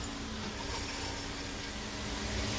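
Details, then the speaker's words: 2020 Dodge Charger, rear end noise: gritty, uneven scraping and crunching as one rear wheel turns; the other side is quiet, so probably not the differential; the brake hardware kit is suspected to have come apart. "I'm hearing a lot of crunching. Whoa. Oh, I heard I think the hardware kit done came apart."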